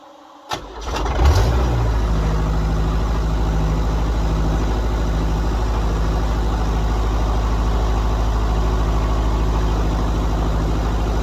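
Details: John Deere 70 skid steer, on a very cold windy day, after fitting used rams and new ignition: engine cranks briefly, fires and settles into a steady, deep, even idle with no knocks or stumbles; runs healthy.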